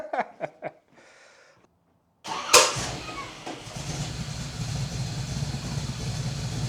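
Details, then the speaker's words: 1978 Datsun 280Z being brought back to driving condition, started after hooking up the alternator: a few cranks, then catches and settles into a steady, even run with no knocks or misses; normal running. "It was nice to hear the Datsun running again, but at the same time, it was bittersweet because typically this is about the time I would call him and let him know that I've made good progress."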